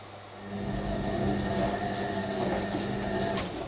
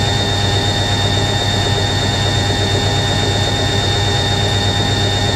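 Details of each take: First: Newly acquired collector's washing machine on a hot wash, filled with hot water, short tumbles, 2.5 kW heater running toward 95 °C: steady even hum with a soft drum swish and no knocks or scraping; heating and tumbling normally. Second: Newly acquired washing machine spinning at 500 RPM; motor sounds slightly deeper than an A3060 and drum is stable: loud steady spin roar with a thin, constant high squeal, probably from the motor bearing (suspected, not confirmed).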